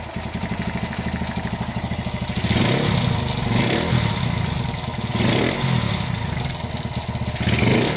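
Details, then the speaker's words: Honda GL100 (GLK 100) engine before restoration, which also smoked and leaked oil underneath: fast metallic clatter over the idle from the clutch side, swelling with each throttle blip. Loose primary gear rattle. "Ini kendalanya seperti yang tadi kita dengar, suaranya berisik di bagian kopling ya."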